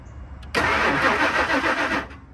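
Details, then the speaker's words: 2000 Ford Excursion, crank no start, fuel gauge connected: about a second and a half of steady starter cranking with no firing and no fuel pressure build; failed fuel pump suspected. "okay so let me stop this too if you see like that there is no fuel pressure coming up"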